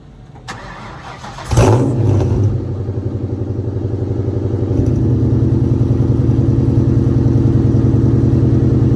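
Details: 2003 Mustang GT 2V after sitting a while, cold start on jumper cables, camera at the rear: starter churn, rev flare, then a lumpy V8 idle through loud pipes. Possible misfire or sputter, which remained after an earlier fuel pump replacement.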